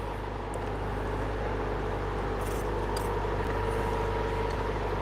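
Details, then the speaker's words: 40-year-old Toyota MR2 engine warmed up: steady, even low idle hum whose note has come down and settled, with no misses or knocks; normal warm idle. "There you are. The note's come down a bit now."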